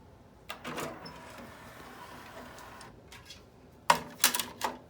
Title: Sony CDP-CE275 5 CD Changer Player - Loud Noise